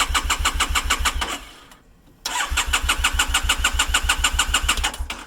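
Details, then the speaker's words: 2012 Triumph Bonneville T100, clutch relay wire bypassed to the clutch switch through a diode, new battery dipping to about 12.3 V, enricher pulled, some throttle: cranks steadily at about three compressions a second but never fires. "doesn't want to start. And the battery's not dipping down too low, but enricher is pulled out."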